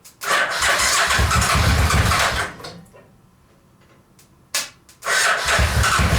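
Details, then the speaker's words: Suzuki VX800 engine in homemade buggy, starting on residual fuel: rough burst about two seconds, fades, coughs again, won't keep running; owner suspects fuel starvation, plans carburetor cleaning. "As much as I really don't want to do it, I think we need to clean the carburetors, just because then we're going to allow it to have fuel in there and want to continue to fire up."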